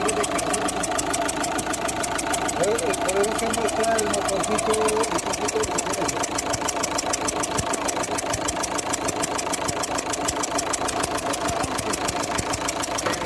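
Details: Opel Zafira 1.9 CDTI diesel at idle: sharp, regular chuffing tick about three per second as compression leaks past the number 2 injector; the injector copper seal needs replacing.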